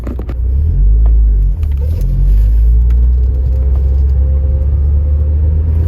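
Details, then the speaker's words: 9th-gen Honda Civic Si with a new Acuity cold air intake, floored in second gear while data logging; injectors already at about 92% duty. A deep, strong rumble builds smoothly with revs, with no misfire or rattle. Normal full-throttle acceleration. "i'll floor it in second gear and see how it does"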